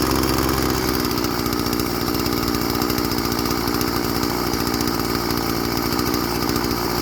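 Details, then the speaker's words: Old Stihl FS 36 string trimmer, sat 2+ years, after a new primer bulb and carb tuning: steady, even buzzing idle with no surging or dropouts; engine sounds healthy and restarts warm. "all right runs good now let's see if it'll start up when it's warm sweet"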